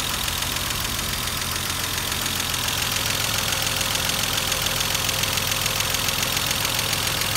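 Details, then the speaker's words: Mercedes W124 boxer engine just started after the cylinder head was refitted (earlier oil loss and white smoke); fast, even ticking of 3–4 per second over the idle from hydraulic adjusters not yet filled with oil. Hydraulic lifter tick. "Berlahan-lahan nantinya apabila adjuster terisi dengan penuh atau terisi dengan oli, dengan sendirinya adjuster akan secara otomatis akan menyeting sendiri."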